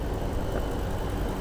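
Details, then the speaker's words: 2010 Ford Eldorado shuttle bus with 6.8 L Triton V10 gas engine idling steadily with a faint fast tick of injectors opening and closing, normal and healthy. "all you can hear is a slight ticking of the injector's opening and closing this thing sounds like a sewing machine"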